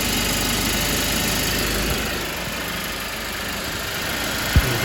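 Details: Mercedes-Benz C250 after turbo removal and rebuild: smooth, even idle with steady rumble, no knocks, whine or rattles, one brief thump near the end; healthy, cooling properly, no leaks.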